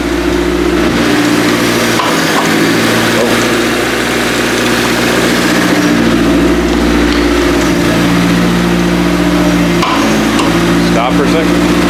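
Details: First start after a five-month winter build, idling while the steering is turned lock to lock to bleed the power steering: steady, even firing with small pitch dips as the wheel turns; sounds healthy.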